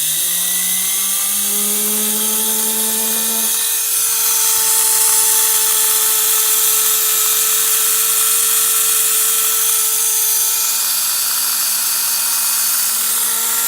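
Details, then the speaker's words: Freshly cleaned and rewired Pfaff 130 sewing machine motor on a bench test, drawing about 1/3 amp. It spins up smoothly to a steady hum with a faint, even hiss of slight brush noise. The owner suspects the brushes were not reoriented exactly as before and expects them to seat in. "I noticed that I can hear just a little bit of noise from the brushes there, and that may be because I didn't orient the brushes and put them in exactly the same way."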